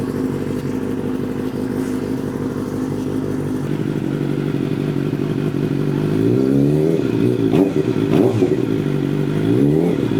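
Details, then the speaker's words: Rebuilt Suzuki GSX750 after fuel pump switched on; even idle for several seconds, then quick throttle blips rise and fall cleanly without misses or clatter: healthy running and revving. "Right, that all works. Right. Fuel pump on. Oh yeah. It sounds so good."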